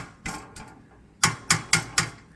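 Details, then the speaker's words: Harley-Davidson pre-trip check: sharp metallic clacks in quick bursts when shaken by hand; owner almost positive the rattle is a loose cover previously screwed on after its brackets broke. "it's the cover and i' I've screwed it on before because it it came loose the brackets broke oh I'm I'm almost positive that's what that is"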